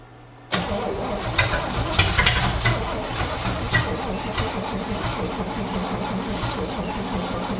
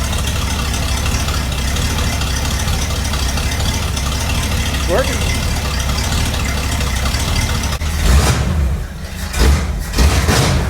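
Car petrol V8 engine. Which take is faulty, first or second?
first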